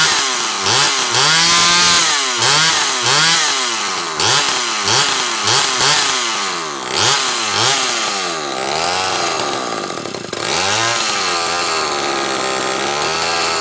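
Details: Zama C2002 carburetor from a McCulloch Pro Mac 800, tested on a 54cc engine with different linkage and no idle screw, so it won't idle; needles turned in about half a turn; repeated rev blips, crisp clean pickup each time; running fine.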